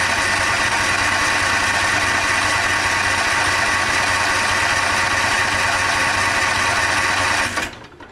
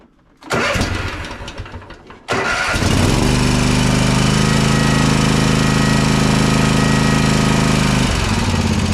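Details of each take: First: Toro TimeCutter SS5000 zero-turn mower, customer reports bogging and dying when PTO engaged: flat weak buzzy drone that never picks up, then cuts out; choke stuck on from seized, rough choke shaft, running too rich. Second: Toro TimeCutter SS5000 zero-turn mower V-twin after repair of a non-firing left cylinder (was bogging, losing power, dying with PTO engaged): cranks briefly, catches, settles into smooth even idle with no misfire, some smoke burning off; normal running.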